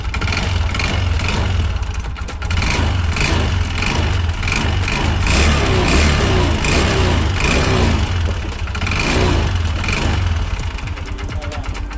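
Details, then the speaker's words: Yamaha Xeon RC 125cc automatic scooter run completely dry of engine oil, started after an oil change; a coarse, uneven rattle under the engine note as it revs suggests a worn crankshaft bottom end, with the CVT also being checked. "Tetapi jika oli kering, maka yang akan terjadi itu di bagian tengah mesin itu akan bunyi kasar ya, akan aus."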